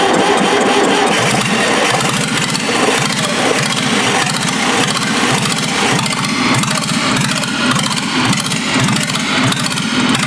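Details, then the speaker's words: QC385 diesel engine on a 385RD diesel drive, first start after filling antifreeze and oil: cranks, catches quickly, settles into steady even diesel clatter with no misses or knocks; healthy start and idle. "Включаем зажигание, открываем топливный клапан и заводим двигатель."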